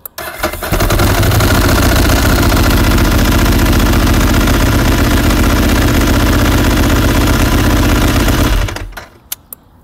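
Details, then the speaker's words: 2007 Ducati 1098 after installing HICAP copper starter cables, battery 12.1–12.2 V; fires in half a second or less versus one to two seconds on the first start, then strong, lumpy, even twin idle: normal quick start. "I don't know you guys but I felt that it was definitely half a second or less so um considering the first time start which took about a second or second and a half or maybe even two"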